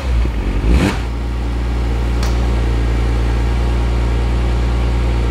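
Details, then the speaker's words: Cheap Porsche Boxster flat-six fires up after an OBD reader cleared codes despite showing no faults: it catches cleanly and settles into a smooth, even idle, no smoke, no knocks or odd sounds; normal start-up and idle. "just sounds absolutely lovely lovely no smoke no alien sounds it just sounds wonderful"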